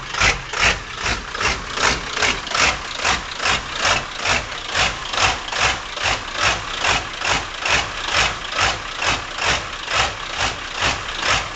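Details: 1997 Ford Powerstroke diesel rough idle, cold or warm, on nearly every start: a steady lope, clatter swelling and fading about twice a second, which smooths out under throttle. GPR, glow plugs, UVCH, MAP and CPS replaced; FPR screen was clogged.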